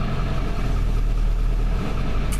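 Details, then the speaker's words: Ford F250 7.3 diesel after replacing faulty glow plug relay, started once wait light goes off: runs at steady low even idle with consistent rumble, no misses; normal idle. "now we wait to start the light goes off and there we go that right there is a dieseling engine alive"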